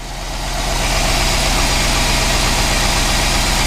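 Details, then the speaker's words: GMC Yukon petrol V8 after a DoD delete with a small cam, first start, briefly run with no antifreeze and not yet tuned: steady, even idle with a low rumble and no knocks or ticks; oil smoking off the exhaust. "good she sounds very good we've still got to do a tune on it that still needs done"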